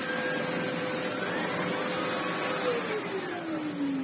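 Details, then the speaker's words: Red Sebo C2 Total vacuum with Sebo air-driven turbo tool: suction quite high but brush spins very slowly, steady rush with whirring tone sagging lower; slow turbo brush from low airflow, head needs full refurb. "We're getting the suction quite high though. It's spinning very slowly."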